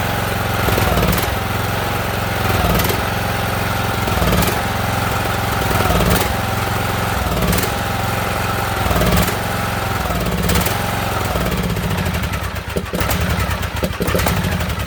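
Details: Ariens riding mower with a 20 hp Briggs & Stratton Intek, jump-started because the battery is thought to be no good; customer says it surges and dies. Revs rise and sag about every 1.5 seconds without settling, then falter: surging from fuel starvation.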